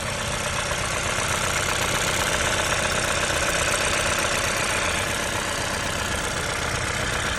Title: I20N knocking noise